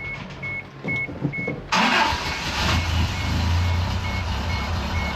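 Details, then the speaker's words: 1990 Isuzu pickup that had lost a cylinder, with the old mechanical fuel pump refitted after the new one wouldn't pump fuel: a few chime beeps, then it fires up instantly and settles into a smooth, steady idle. "fires up nice and easy. That is absurdity right there. That's crazy. It runs like a new car, though, so I'm happy for that."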